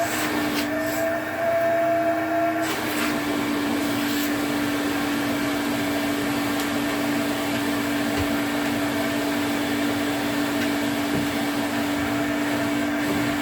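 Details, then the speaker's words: 1980s Electrolux Twin Turbo 500-series exclusive (1988 Z517 or 1989 Z521) with a 550 W motor, on a quick run test. Steady, even motor whine at constant pitch with no rattles, scraping or surging. Motor sounds healthy and suction is good. "Yeah, that sounds all right. No frrills, but then no disasters either."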